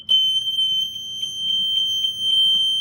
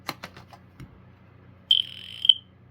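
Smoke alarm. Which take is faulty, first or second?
second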